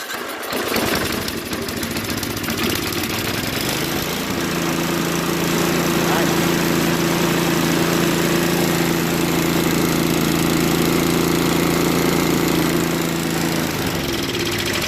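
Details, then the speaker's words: Craftsman 524 Trac Drive snowblower that only ran on 75% to full choke, after quick float-bowl and jet-nut carb clean: electric starter whirs briefly, engine catches within a second and holds a smooth, steady idle. "well it even runs well and idle no that's very good so we know that the starter works runs well at idle and it will grow warm up you know"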